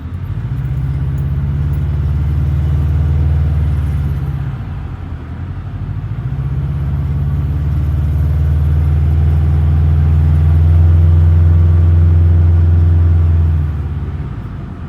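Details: Subaru Forester XT EJ255 turbo engine: low throbbing burble rising and falling with light revs over a rapid puffing flutter; owner suspects exhaust leak or wastegate flutter, unconfirmed.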